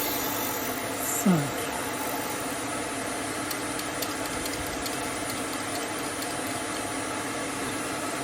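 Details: Hope Woodturning MK2 threading jig, router at 3000 rpm on a repeat pass in beech, five turns: even high-speed motor whine, steady, no chatter or bogging; cutter cutting cleanly, normal thread cutting.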